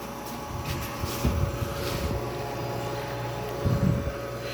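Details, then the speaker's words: Older 1970s–80s Oasis refrigerated drinking fountain, R12 refrigerant, compressor running with frost and sweat on the line and ice-cold water, condenser reading 74: quiet, steady low hum with a faint constant tone and a few handling bumps; healthy, smooth compressor. "See the frost on there? So, oh yeah, look at that. You can see the sweat there. Thing's running well. Quiet."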